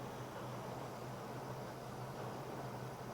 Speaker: Notice as we spray it around the base of the carburetor running here that we don't get a change, which means that we do not have a leak.